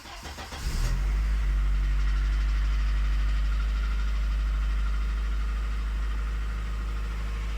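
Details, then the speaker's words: Over 30-year-old BMW E30, revived after 6 years standing, losing coolant on a 3000 km road trip; engine settles into a steady elevated hum that never drops; high idle, cause unknown. "Dreht immer noch sehr hoch. Ja, dreht trotzdem nicht gut. Ja, dreht sehr hoch."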